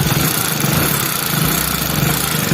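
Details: Hero Splendor Plus BS6 fuel-injected motorcycle idling with a busy metallic clatter over the engine note: tappet noise from excessive valve clearance.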